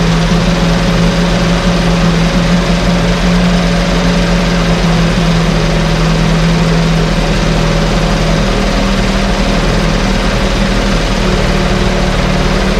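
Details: 1968 Evinrude Fastwin outboard, bought and only set in a test tank with no repairs, out of gear with no load: smooth, constant low drone with no misses, coughs or surging; no cold-start cough, runs better each start with Sea Foam in the fuel. Normal idle.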